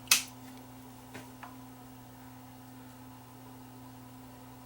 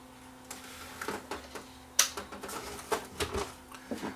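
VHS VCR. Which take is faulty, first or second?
second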